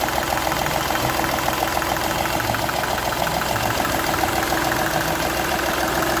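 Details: Seat Ibiza 1.2 TDI diesel idle with sharp even ticking puff about three per second; compression loss from cylinder one past the injector seal, which showed a burnt section where compression escaped.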